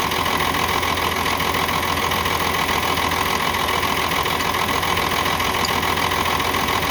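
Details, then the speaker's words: UD CK450 truck, Nissan PF6 six-cylinder diesel that suddenly began misfiring, losing power and stalling under load: rough idle with a lumpy, uneven beat near two pulses a second; injection pump plunger No. 5 delivers no diesel, one cylinder dead. "तो जब 5 number plunger की तरफ से डीज़ल नहीं आएगा तो आप समझ जाएं जो ये 6 सिलेंडर इंजन है, 6 सिलेंडर में से एक सिलेंडर काम नहीं कर रहा, 5 सिलेंडर काम कर रहे हैं।"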